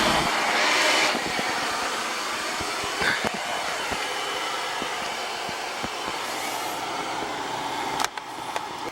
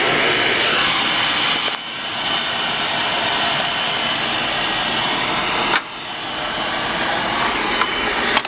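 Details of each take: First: Carlin oil burner on a flood-soaked Bock oil-fired water heater: steady even roar with light crackle and hiss as steam clears out of the wet unit. The burner now stays on, running normally. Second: Bock oil-fired 40-gallon water heater with Carlin oil burner that went underwater in a flooded basement: steady hissing roar of the firing burner with abrupt drops as it shuts off on safety lockout. The cad cell is suspected bad and looked corroded.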